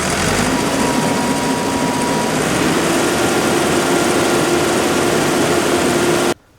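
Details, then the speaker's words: ASV PT-100 track loader diesel after fuel lift pump replacement: revs up to a steady even roar with no knocks or misses, then cuts off cleanly; normal revving, restarts without glow plugs. "that runs out well I think that sounds great"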